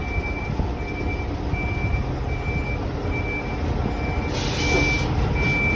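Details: Volvo B8L MCV EvoSeti bus idling: a steady high-pitched warning beep repeats about every three quarters of a second over the engine rumble, continuous and annoying.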